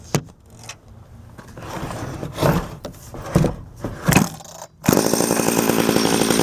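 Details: Homelite 240 chainsaw, left sitting with ethanol gas, just fitted with a carb kit and cleaned: several pull-start tugs, then it catches and runs with a harsh buzzy drone; running but carburetor not yet tuned.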